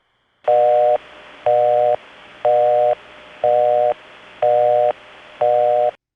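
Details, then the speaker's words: Early-1980s Bell System line: an even on-off busy tone at about one burst per second, higher pitched than genuine Crossbar 5 busy. Imposter busy signal from retrofitted tone equipment. "Don't be too confused by the fact that the imposter has a higher pitch."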